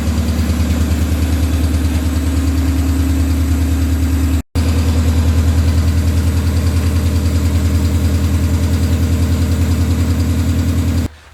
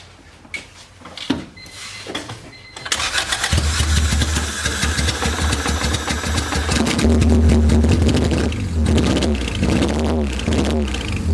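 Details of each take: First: Honda B18B engine after injector fix, fuel return line hooked up: even, steady idle with smooth low firing pulses and a loud exhaust note, no stumble or skip; normal idle, misfire was the injectors all along. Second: Honda B18B engine just started, not warmed up (radiator missing), O2 sensor disconnected after header install so running very rich: idle stumbles with an uneven, lumpy beat; misfire at idle, injectors suspected.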